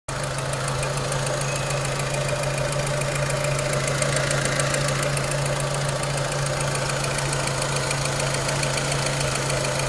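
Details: 2006 Renault Clio 3 1.4 16v, 174,000 km, on 5W40 oil (owner wonders if too thin): steady idle with fast light tapping about three per second over the engine hum; cause of ticking unclear.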